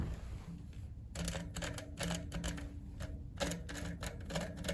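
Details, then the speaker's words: Specialized FatBoy fat bike rear hub, axle turned by hand with the cassette removed: gritty, uneven clicking from dirty, rough bearings. The hub is to be disassembled and the bearings cleaned. "yeah that is just not a healthy sound so I'm going to go ahead and just pull this axle out pull all the bearings out out go through it and clean them up"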